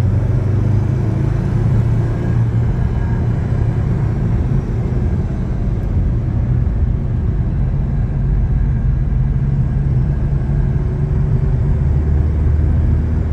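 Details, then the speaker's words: Chevrolet S10 while driving: heavy rough low roar, steady and deep; mechanic suspects worn front wheel hub bearing nearly locking, unconfirmed, also cracked exhaust manifold joint. "Conseguiu ouvir rolamento do cubo dianteiro está praticamente travando o volante aqui"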